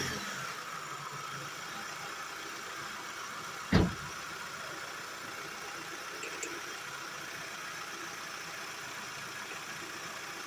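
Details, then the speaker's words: Hyundai Sonata after replacing the belt tensioner and tensioner pulley (idler pulley not replaced), battery charged after a jump: one catch on startup, then a smooth idle with no rattle from the belt drive. Normal start and idle. "so the noise that I had it's gone all right delts your battery's charged up um this is running good move no more"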